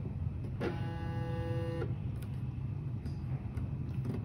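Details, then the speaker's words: A stepper motor on an Arduino-based CNC, commanded via USB from control software, hums with a steady buzz that starts and stops about a second later without rotating; cause not yet found. "ini akan saya kirim perintahnya seperti ini nanti kita lihat sini staternya nih Nadia tidak berputar ya di sini hanya mendengung"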